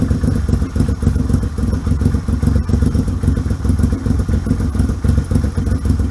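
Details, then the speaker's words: 1978 Yamaha XS750 Special triple, first run after a three-week revival, kick-started on choke: deep, even thumping exhaust pulse with steady rhythm and clean revs, no misses or knocks; healthy. "I fucking love old motorcycles. They are so badass, especially when they wake up."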